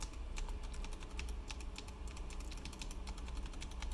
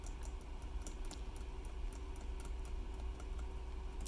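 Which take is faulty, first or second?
first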